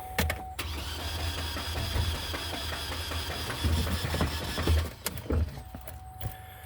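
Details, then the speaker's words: 2010 Chevy Colorado: the starter churns with a low, uneven pulsing beat but the engine never fires, a crank no start; owner suspects the camshaft broke apart, with metal found in the oil fill. "so it's a uh crank no start I think the cam shaft ripped itself apart in side there bunch of metal in the oil infill"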